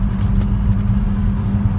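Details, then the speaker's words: Old London taxi (TX) automatic, driven through sweeping right-hand bends after topping up with 1.5 litres of automatic transmission fluid: steady road and engine rumble, no wa-wa whine; the fluid appears to have cured the noise once blamed on the nearside front. "silent there's no noise whatsoever and I'm thinking how can that be it was definitely down on that near side front not the box"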